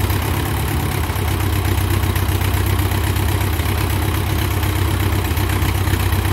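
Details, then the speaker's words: 1957 Ford 660 tractor started on choke after sitting 13–15 years: a heavy, loud, low-pitched idle of about four rough pulses a second with raw unmuffled exhaust; it needs a muffler. "Sounds like it needs a muffler which is okay, and, oh by the way, I put me a seat cover on it."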